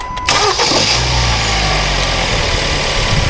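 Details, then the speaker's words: 2013 Kia Forte 2.4L 4-cylinder with intermittent crank-no-start after engine detailing; on a repeat restart test a short crank catches at once into a steady, even idle, now starting every time. "yeah okay so it starts up let's try it again okay so now it starts every"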